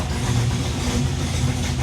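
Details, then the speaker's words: 1987 Chevy Monte Carlo SS V8 idling: sharp puffing tick on each exhaust pulse; Mr Gasket header gasket leaking on one side, to be replaced with Remflex like the other side; not drivable yet. "Rim Flex does great uh but you can definitely hear it leaking on the other side so I can't be driving anymore"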